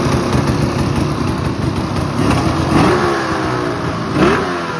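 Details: Ski-Doo Summit snowmobile, two-stroke E-TEC engine, revving rough and uneven, stumbling and sputtering rather than pulling cleanly; misfire, cause not yet known.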